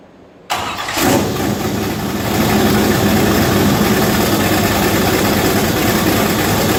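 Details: V8 Chevette first start, turbo not yet installed, mass airflow sensor unplugged: starter catches about half a second in, V8 flares, then settles into a steady idle without stalling.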